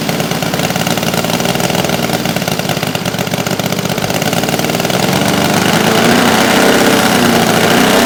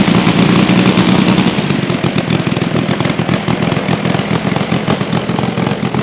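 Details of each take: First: New Saito FG-60R3 3-cylinder radial in a Legend Hobby T-28 Trojan RC plane, first ground run, break-in run super rich for lubrication: steady throaty drone climbing smoothly as revs rise, then dropping evenly; healthy. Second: Saito FG-60R3 3-cylinder radial in a Legend Hobby T-28 Trojan RC plane, first run with cowl on, taxi test: ragged uneven burbling beat that never cleans up at full throttle; running rich with cowl on.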